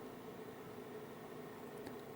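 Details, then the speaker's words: KROAK TB2 8 kW 12 V diesel heater just switched on, room at 9.8 °C, before glow plug preheat: very quiet steady soft hum and airy hiss of the blower drawing in and blowing out room air, no rattles; normal blower fan running. "Was ihr jetzt hört, ist der Lüfter, der die Raumluft hier ansaugt und auf der anderen Seite wieder herauspustet."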